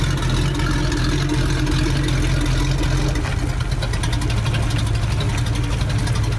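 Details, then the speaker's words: Rebuilt wrecked boat engine run with water flowing properly before lake launch: deep, even rumble at steady speed, no knocks, misses or odd noises; normal running. "alright guys so everything checks out properly the water is flowing great so let's go ahead take this thing to the lake and get this thing in the water"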